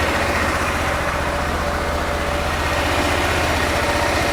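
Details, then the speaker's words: 2001 Honda Rincon ATV, sat over two years, warming up on choke after carb clean and rebuild, fuel on reserve: steady, even idle with no stumbles, popping or hunting; runs clean, normal idle. "go ahead and open up garage door back there let it idle here for a minute let it warm up sounds really really good"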